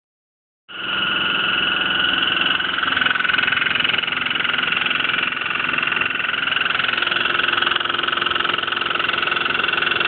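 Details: Hotpoint washing machine: steady, hissing drum run with a fast rattle about three per second throughout; something loose or rubbing, cause unclear.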